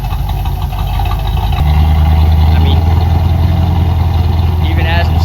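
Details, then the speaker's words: 1990 Dodge W250 Power Ram idles higher and higher on its own with no throttle input, not returning to normal idle; steady low drone lifting to a high even idle; PB Blaster didn't fix it; owner suspects a worn spring. "here it's idling higher and higher. Yeah, now it's back at the high idle without me even touching the gas or anything. It might just be that spring is very worn out."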